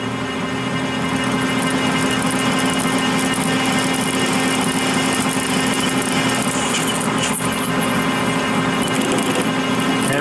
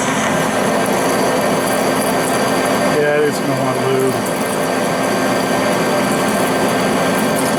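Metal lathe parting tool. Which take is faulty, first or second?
first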